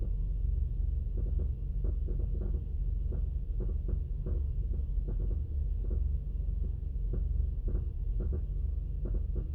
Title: 2002 Mazda Atenza rough idle